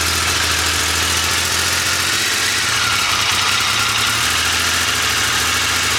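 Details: Triumph Legend motorcycle, first start after restoration from non-running: steady, even idle with a low constant beat under a lot of hiss, no misses; runs smoothly.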